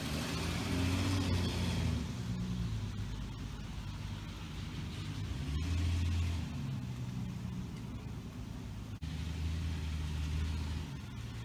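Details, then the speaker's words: 1966 Dodge Dart GT, Slant Six 225, on a wet road after timing was reset from way advanced (about 20–25° BTDC). The engine pulls cleanly through rises and falls in revs with an even exhaust drone, no popping or stumble. Running much better, normal. "i don't know it's wet that helps out a whole lot but uh yeah it's running much better"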